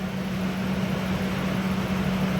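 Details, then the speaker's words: 2001 Ford F-150 4.6L with code P1506, after replacing a tube: a low, steady idle hum with no hunting, no longer stuck above about 1030 rpm and dropping toward the desired 736 rpm as it warms; idle fixed. "you can see that cured a problem so it'll continue to drop as needed as the engine warms up"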